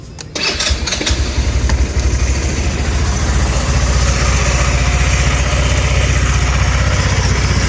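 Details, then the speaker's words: GY6 150cc 157QMJ scooter, 1,567 miles, just started after valve cover gasket replacement: quick start, then steady even idle putter with no ticking and no leaks; normal. "No leaky leak. Idle's good. 1,567 miles."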